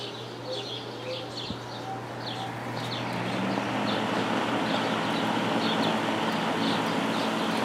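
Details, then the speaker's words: Lakewood S23 fan after blade straightening, blade cleaning and oiling the motor; steady airy whoosh with low even hum, no bearing ticking or scraping, faster low speed, running smoothly. "I I I'm going to use this fan tonight and the faster low speed will definitely be appreciated because it's very hot right now."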